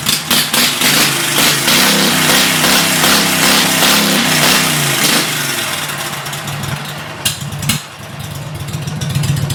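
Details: 2006 Mud Buddy HD Mini surface drive, 23 HP Briggs Vanguard, about 14–16 years old, after installing a Backwater Performance X-Flow Lite muffler: a loud, raspy exhaust bark rises as the throttle opens, then settles back, running strongly and normally.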